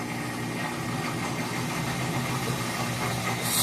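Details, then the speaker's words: Whirlpool WTW4816FW3 top-load washer bought July 2023, control board replaced three times: harsh rumbling grind swelling louder, agitator straining with too little water, skipping rinse to spin; drain pump later replaced, after which it seemed to work. "So, it's going from wash and it'll go to spin even though I need to have and then there's that loud noise that it would be doing like like that."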